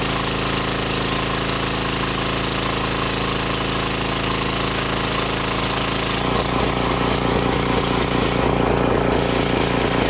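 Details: Briggs & Stratton 2900 psi pressure washer after a carb cleaning for hard starting, low power and only running on choke: steady even single-cylinder drone with load changes as the trigger works. Slight surge off the trigger is common; it runs good.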